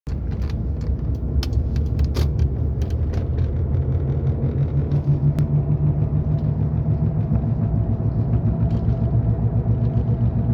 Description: Sound of bad wheel bearing needs to be replace asap